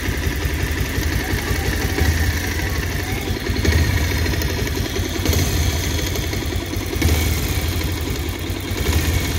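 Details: 2023 Bajaj Pulsar 150 BS6 dual-disc: the single-cylinder idle has a loose, uneven clatter with slow swells every second or two; abnormal engine noise, cause unclear.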